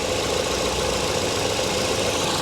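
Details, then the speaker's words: Salvage-auction car idling after starting on its own: steady, soft, smooth hum with no ticking or knocking. Normal quiet idle; coolant present and no leaks seen. "okay she's quiet listen to this very quiet fired right up on her own didn't need any help for"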